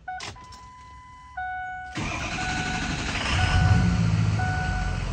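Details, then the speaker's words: 2003 Ford F-350 6.0 Powerstroke, 105,000 miles, new high-pressure oil pump and ICP sensor, restarted after sitting about 30 minutes post-repair: warning chimes, brief crank, catches at once into a steady idle; oil pressure comes right up; normal start. "fires right up oil pressure comes right up so I guess we got it fixed"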